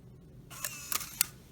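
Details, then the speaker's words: 2004 Saab 9-3 Clarion CD unit on the bench, powered directly: small motor whirs about a second with three crisp clicks as the mechanism switches to the eject gears, and the disc ejects cleanly; normal CD eject. "and once this motor comes all the way to the end then the mechanism changes and starts rotating those gears to kick the CD out"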